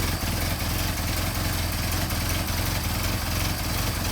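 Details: Mercedes 190SL with rebuilt, machined Solex carburetors, on choke before warm-up: steady even low idle with smooth unbroken beat, no misses, stumbles or hunting; carbs running cleanly.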